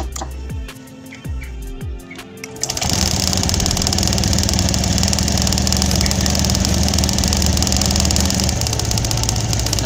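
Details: Honda Scoopy fuel-injected scooter coil test: a few cranking turns, then the engine catches and settles into a steady, even idle with the plug gap about 1 cm, showing the coil sparks fine; normal idle.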